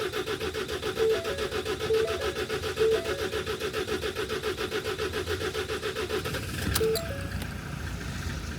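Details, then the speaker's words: 2018 Ford Transit 2.0 EcoBlue diesel, no check engine light, hard start when cold: about 30 seconds of even starter cranking over a repeating dash chime without firing. "there that was long right that was what 30 seconds cranking it if you can imagine if you keep doing that every time you try to start the vehicle it's likely that you're going to wear out your starter motor as well"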